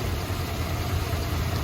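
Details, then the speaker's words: 1972 Chrysler Imperial LeBaron V8 at idle: deep uneven stumbling beat, engine shaking and missing; a faulty plug wire had been found, now pulling plug wires one at a time to find the misfiring cylinder, checking for a loose rocker. "so you see how it's shaking and it's missing pull one plug wire at a time and see if it changes we'll find what cylinder is misb"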